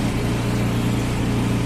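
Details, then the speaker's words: Samsung dryer running with a loud, steady low drone and a faint even flutter, no pitch change, noisier than it should be; it is about to be disassembled to find the cause. "Qué tal amigos el día de hoy Les traigo esta secadora marca Samsung la cual está teniendo un problema y es que suena"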